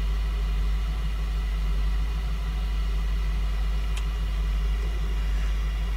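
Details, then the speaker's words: 2004 Lincoln Navigator 5.4 V8 that runs rough with no check engine light, spark plugs already replaced by the owner: the deep idle has an uneven, lumpy beat with slight stumbles; a cylinder misfire, cylinder not yet identified. "all right let's start this truck back up right let's disconnect our egg farm now we're gonna go out here and we see a slight misfire"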